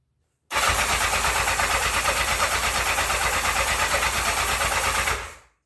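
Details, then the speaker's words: 1984 Honda CB700SC Nighthawk: reportedly started before but wouldn't idle, and the battery was run down by earlier cranking. On partial choke, even cranking for about five seconds with no firing at all. No start; old gas suspected. "yeah must be some old gas or something because I thought he said it ran okay but it wasn't idle or something"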